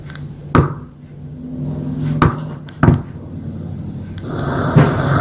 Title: Gaslicht Lamp making popping noise